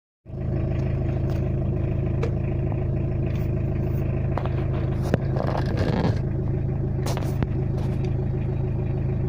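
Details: Tata Indica diesel after injection pump calibration with rotor blade and camshaft replaced, fixing rough idle: steady, even diesel clatter at idle with constant low drone, no stumbling or hunting.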